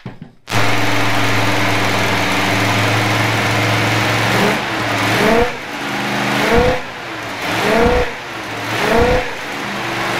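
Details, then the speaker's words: 1967 Dodge Coronet with a newly installed V8 on its first run: strong, steady idle and clean throttle blips with no misses or knocks; healthy engine, with a header leak noted. "we're finding all the weak links in this car but motor sounds good sounds healthy we're gonna proceed on and keep putting this thing together for you guys and it's gonna be a fun ride thanks for watching"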